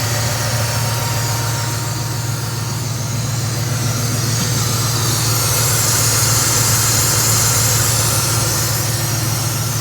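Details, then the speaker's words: Ford F-150 with 4.6L Triton V8, just refilled with 5 quarts of oil after low-oil running: smooth steady idle with low hum, startup knock gone, no ticking; normal idle. "Purring like a kitten."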